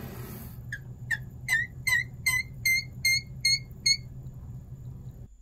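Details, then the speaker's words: Fluidmaster 400-series fill valve in a Kohler toilet squeaks at every shut-off, nine sharp high chirps over rushing water; it also squeaks when house faucets run, and cleaning the seal and Teflon lubricant didn't fix it; replaced with a Fluidmaster 385. "this valve squeaks like this every time it shuts off"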